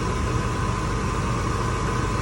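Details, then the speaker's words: 1998 Ford Expedition 5.4 with rebuilt engine, after fixing a mass airflow sensor grommet that was not pushed in and leaked air past the sensor (rough idle, check-engine light before): steady even low idle rumble, no stumble. Normal idle. "but as you can see now the truck is idling way better"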